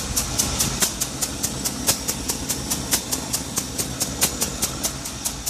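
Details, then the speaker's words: Ticking at idle, sharp light tick a little over twice a second; known exhaust leak of unknown origin, seems to come from the left rear, header just tightened, smog holes plugged; owner suspects top O-ring, sounds like one cylinder. "Might be coming from my top O-ring right there, but it sounds like one cylinder."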